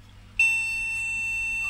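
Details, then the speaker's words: Retro MSI motherboard with an AMD CPU, recapped, powered up with no RAM fitted and no CMOS battery. One long, steady high-pitched beep from the speaker signals no RAM detected. "and it's bleeping [Music] to say no Ram"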